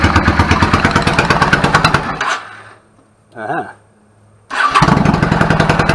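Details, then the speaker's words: 1999 Yamaha V-Star 650 Classic, 650cc V-twin, twin carbs, 16K miles, after cleaning clogged pilot jets: lumpy, even firing, short stop, clean restart on choke settling into steady running; idle sounds good. "the idle adjust smells a lot sounds good settles back of it I'm fine with it"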